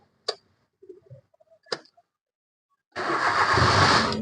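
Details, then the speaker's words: Maruti Suzuki Wagon R K-series with intermittent no-start and delayed starting, no fuel reaching the injector rail: a few clicks, a pause, then the engine catches and runs after a delay; traced to a fuel pump earth fault. "ഇപ്പോ കുറച്ച് delay വന്നിട്ടാണ് വണ്ടി start ആയിരിക്കുന്നത്"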